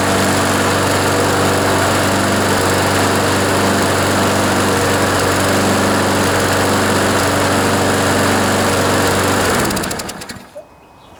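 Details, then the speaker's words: John Deere JS26 push mower with Briggs & Stratton engine after blade hit something hard, fuel system cleaned, new plug and air filter: steady buzz with faint irregular skips, hard starting, vibration; intermittent miss, suspected partially sheared flywheel key. "you can see what i mean it kind of skips every now and then and just doesn't seem like it's running quite right"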